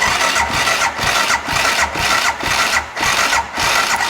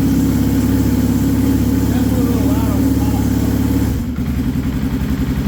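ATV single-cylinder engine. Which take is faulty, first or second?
first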